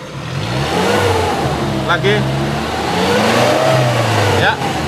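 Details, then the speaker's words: Used 2005 Suzuki Carry Futura pickup engine at idle, then revved: clean rise and fall of revs with an even note, no misfire and no metallic knocks or rattles; engine sounds healthy. "terus ini posisi stasioner ya kondisi mesin stasioner sosok suaranya masih langsung masih enak nggak pincang kalau kita geber kalau kita geber pun dia masih suaranya masih enak jadi nggak ada suara-suara aneh-aneh kayak metal gitu lah ya"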